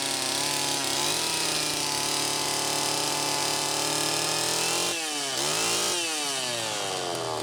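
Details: Homelite Super EZ chainsaw test run after carburettor repair, high needle reset from about four turns out to one turn: high screaming rev surging and dropping unevenly; lean running, crankshaft seal suspected bad.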